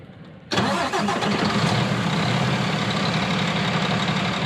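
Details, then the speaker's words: International LT625 heavy diesel truck, standard restart without active decompression: fires abruptly under compression after a brief quiet moment and settles into a steady deep idle; normal start. "And then on standard startup, you're gonna hear the standard engine starting up under compression"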